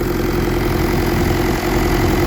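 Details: Willys Jeep with a Kubota V2203 diesel swap at about 4000 miles, idle set around 1100–1200 rpm: an even, steady diesel clatter with no misses or surging; it runs smooth, and lower idle brings more vibration.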